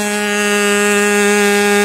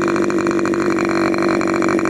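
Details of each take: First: Freshly rebuilt K&B 40 model 4011 glow engine with its new ring still seating, on 10% Coolpower plus 4% castor and a 10x6 prop. A steady high-pitched scream around 12,300 rpm with no sag, but it is running rich. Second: K&B 40 model 4011 glow engine after rebuild (new bearings, ring, gaskets, hand-honed cylinder), 10% nitro fuel with added castor, 10x6 prop: high steady buzz climbing smoothly in pitch, holding, dropping back evenly with no misses; normal running.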